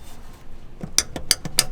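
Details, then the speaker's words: Subaru Forester manual shifter linkage rocked by hand: four sharp metallic clacks about a third of a second apart. The hardened, worn rubber shifter bushing lets the linkage slop, felt as play in the shift knob. "you hear that you can see it moving and that's the play you got in your shift knob inside the car"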